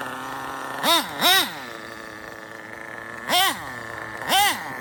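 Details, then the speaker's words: RB sealed-back-plate nitro engine in an RC drag car, carb untuned, 1/10-scale muffler. High-pitched nitro buzz with four quick rev blips; running a little lean on low-speed mixture. "I didn't even tune this this is with the sh carb I don't know RB check it out it's a little lean down low"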